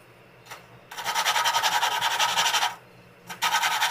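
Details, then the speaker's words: Tecumseh flathead engine valve being lapped by hand. Harsh back-and-forth rasping bursts at about two strokes a second as the valve grinds on its seat, meant to continue until quiet. Seat not yet lapped in. "Just want to pick it up, move it around a little bit, and keep going until it gets nice and quiet. You'll probably hear the difference. So, right now, we're grinding a lot."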